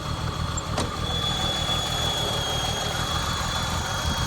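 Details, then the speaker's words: 1964 Mercedes-Benz 220 SEb W111 coupe, original M127 engine with Bosch mechanical fuel injection, 64,393 miles, automatic: steady even idle, smooth low pulse, faint high whistle, no ticking or misses; no smoke or valve train noise, healthy. "as you can hear, it holds a really nice idle. It runs great, it doesn't smoke, it has no valve train noises or anything, and the mechanical fuel injection seems to be in great working shape."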